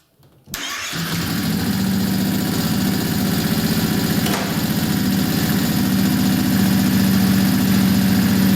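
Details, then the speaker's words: Kawasaki Brute Force 650 V-twin ATV after a valve adjustment, engine warmed up: catches and settles into a lumpy idle with a light, fast ticking chatter from the front cylinder; front valve clearance still off and redone. "okay I got some heat in the motor I still got a chatter sound like coming from the front cylinder so I'm going to redo the process on the front one"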